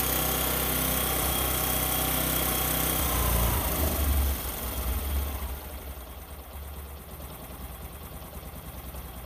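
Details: Discover 125 motorcycle single-cylinder engine, shown in a tappet-clearance and start-problem fix, runs a steady, even idle for about four seconds, then is shut off and winds down quietly; normal idle.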